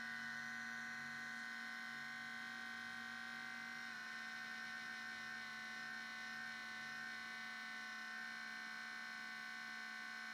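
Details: MacBook Pro making a steady electric buzz with thin high whine at startup, constant pitch; sometimes hangs at login or blue screen, Apple store found nothing wrong; abnormal buzzing, source unknown.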